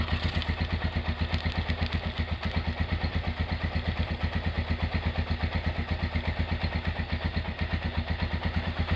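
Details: Rebuilt Honda GL100 engine with Aspira piston, CDI ignition and valve clearance set to 0.10: even, regular thumping at idle with no clatter between beats. Normal, smooth idle after the rebuild.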